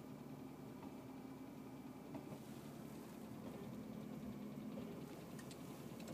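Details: BMW E36 328i petrol engine at idle: steady low hum with a few faint, irregular clicks or ticks on top; owner guesses the fan, cause unconfirmed.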